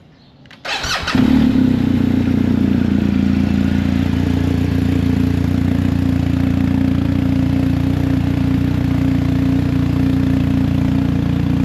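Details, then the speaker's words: BMW R1250GS Adventure after the shorted exhaust-valve servo was replaced with a Servo Buddy, the cables removed and the flap left wide open: quick crank, then a steady boxer idle, slightly louder. Normal start and idle. "We're going to pop up and and see what this thing sounds like. Shouldn't really have any difference, I don't believe."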